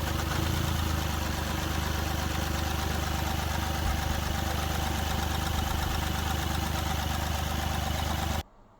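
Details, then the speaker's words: Mahindra Bolero Power Plus diesel at idle with low pickup and whole-body vibration, misfiring since earlier engine work: deep, slightly uneven chug from one misfiring cylinder, from a wrongly set injector opening pressure. "इसके अंदर pickup की समस्याएं pickup बहुत कम है और engine में vibration body हमारी Puri vibration कर रही है"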